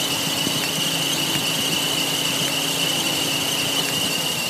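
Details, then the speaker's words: 2009 Suzuki SX4 2.0 L North American spec idling on a damp day, airbox removed, plugs new: steady whine with irregular snapping ticks as the coil-over-plug arcs (flashover), causing random misfire; fixed by replacing ignition coils. "one oil I think it's pretty easy to tell there that spark is no making it to the great"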